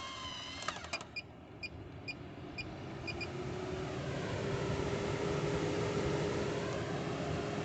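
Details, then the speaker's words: MaxxAir roof vent fan after its electric motor and circuit board were replaced to cure random beeping: a few short beeps as it's switched up, then a smooth, steadily building whoosh with an even hum at 100% power, no rattles. "100 power and no issues"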